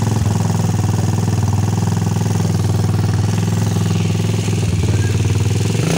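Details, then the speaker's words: Rusi 150 motorcycle after fitting a new spark plug cap (no-spark, weak-current problem; ignition coil suspected): single-cylinder engine starts and idles steadily with even low thump, no misfires, nothing else wrong. "umandar na siya So Okay lang wala ibang sira to"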